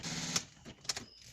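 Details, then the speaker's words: 2005 Audi Allroad 2.5 TDI, key turned after removing the driver seat and cleaning airbag connectors for code 00588: three sharp dry clicks about half a second apart, no cranking, dash lights flashing; cause unknown. "that noise and all the lights flashing I really don't know what the problem is if someone can help thank you"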